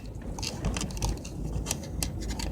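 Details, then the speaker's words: Vehicle driving a rural Central Texas county road; irregular light clicks and rattles over steady low road rumble from a loose phone holder in the cabin, phone mount rattle. "you know that noise you hear that rattling thing that clicking that's the holder doing that and I can't figure out how to stop it"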